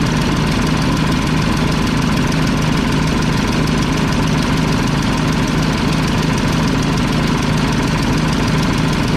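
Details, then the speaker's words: About 1995 Mack tank truck diesel, 122,000 on the odometer, turbocharged, after bleeding injector lines: heavy idle with an uneven, lumpy beat as one cylinder drops out; misfire, likely from a loose injection pump delivery valve; exhaust leak also present. "I just realized this delivery valve is loose. That's probably why it's missing."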